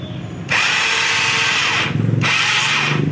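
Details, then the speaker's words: Yamaha Mio carburetor scooter, electric starter slips: two bursts of high free-spinning whir without cranking or firing, starter won't engage the pulley; one-way starter clutch fault. "Nah ini kendalanya e double starter ini ngelos ya jadi cuma bunyi starternya aja Din nya aja ya kita coba dulu"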